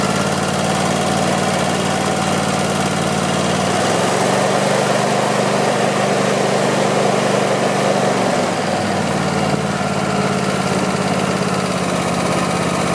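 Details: Craftsman YT4000 lawn tractor twin, sat in a barn for years: even idle picks up cleanly around four seconds, holds steady, settles back smoothly, no misses or knocks; deck engages with some vibration, blades probably to be checked and balanced. Normal running.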